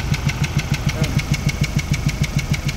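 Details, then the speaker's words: Ford Raptor engine at idle: hard, even diesel-like tok-tok of six or seven knocks a second, with air puffing back out the intake; a piston struck one of cylinder 2's four valves, cylinder 1 undamaged. "Ayan, kaya nga binuksan po natin ito dahil doon sa ingay na yon, yung tok tok tok tok, saka yung hangin, lumalabas yung hangin sa intake, kaya nakakaroon ng ingay"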